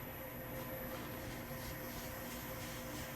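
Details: KYS Pro Baker 7+ spiral mixer at its maximum listed batch, 4.8 kg pumpkin dough, bowl at 60°F, 200 RPM: even drone holding pitch, no labouring, slipping or grinding, flour swishing at dry spots; healthy under load.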